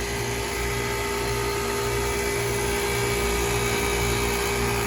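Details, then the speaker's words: 2008 KKT chiller with hot gas bypass capacity control at 9 °C setpoint, after replacing DIN-rail contactors: loud, perfectly steady hum and whir with constant pitch, no knocks or surging. Normal running, in tune. "so if you have one of these chillers this is what it should sound like if everything is in tune this is a very old one 2008 but it's still going"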